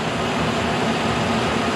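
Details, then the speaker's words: K&T mill first cuts on mild steel with a resharpened endmill, light cut, cold morning in the 20s, head not trammed: steady even cutting hiss over smooth spindle run, no chatter or knocking; normal cutting. "look at that no problem man I can barely even hear it I haven't trammed this head or anything just assuming it was fairly close"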